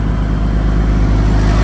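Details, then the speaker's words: Reconditioned Kirloskar HA494 four-cylinder air-cooled diesel 35 kVA silent genset, load just removed: steady deep even drone, constant speed, no knocks or misses; healthy unloaded running. "यह बिल्कुल super silent बन चुका है जन set अब load हटा दिया गया दोस्तो"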